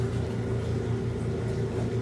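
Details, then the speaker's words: Unwinterized 1986 Kenmore 70 Series or 1978 Maytag A408S washer, white-tub machine: motor gives a steady, even low hum with a faint mid tone and no knocks or grinding; runs smoothly, no issues. "this one you can kind of see a little better you see some of the hints of pinkly kind of right in there cuz this one's got a white tub and it's got light over it here you can hear that motor sounds pretty [Music]"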